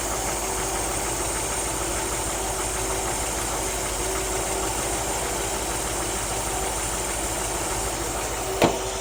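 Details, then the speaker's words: 1964 Ford F100, new Pertronix cast distributor, warm, timing about 19 degrees initial (marks possibly inaccurate): slow smooth idle around 600 rpm pulling 20-21 inHg vacuum, even beat, no tapping or stumble; normal idle. "we're idling down because i got the timing pulled just a couple degrees from where it was at now we're idling at about 600 pulling about 20-21 inches of vacuum"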